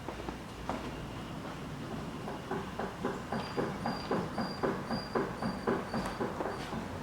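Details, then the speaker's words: 2013 Ford Focus 3, 1.6 petrol, manual, front-wheel drive, 183,000 km, rocked side to side: dull knock about twice a second, mostly right side, from worn front sway bar links with an apparently torn lower boot. "застучали стойки переднего стабилизатора хозяин думал что там вся подвеска выскочила Ну по итогу дело только в стойках"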